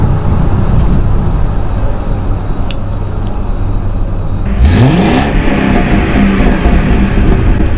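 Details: 2006 Mercury Grand Marquis V8, first startup after swapping the single factory exhaust for an OEM dual exhaust from an older Grand Marquis and deleting the two rear cats. Low rumble, then it catches, revs and settles to a deep, even, healthy idle.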